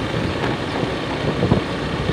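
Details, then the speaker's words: Honda Beat FI scooter, low-speed riding: even, unbroken engine note, no stumbles or misses, pulls cleanly; previously it stumbled at low speed, especially in rain and cold. "rendah, aman dan terkendali. Tidak ada gejala yang muncul seperti kemarin."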